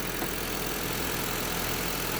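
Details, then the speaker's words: Honda Civic at idle after replacing the belt tensioner and idler bearings; steady, even hum with no squeal, chirp or rumble from the belt pulleys. Noise far different from before, normal idle. "So yung ingay niya before, ngayon ibang iba, malayo."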